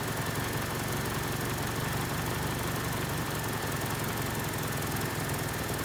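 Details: 1979 Honda Civic 1200 that sat about 16–20 years, after roughly five minutes running, before timing is checked: even, steady idle with a smooth low beat and no misfires or knocks; timing seems close and it runs pretty good as set.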